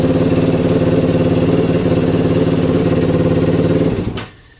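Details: 2021 Yamaha YFZ450R SE right after installing a Pro Design intake kit, stock pipe still fitted: quick, even single-cylinder thumping at steady idle with crisp rev blips, then shutoff; engine runs clean and healthy.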